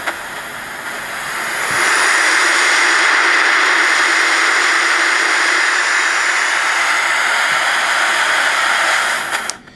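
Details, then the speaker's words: 1964 Johnson Messenger 3CB radio with receiver disabled: severe steady white-noise hiss generated in the audio section, caused by noisy old PNP germanium transistors. "the symptom with this radio is severe hiss like severe white noise and I give you an example of that"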